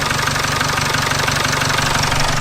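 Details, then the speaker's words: Jaguar XF diesel at idle after the unbolted, hissing EGR pipe was refitted with its two 10mm bolts: steady, even idle with light rhythmic clatter and no hiss or leak; engine sounds healthy. "That sounds a lot better. Yeah, that definitely sounds a lot better now that EGR pipe is bolted on."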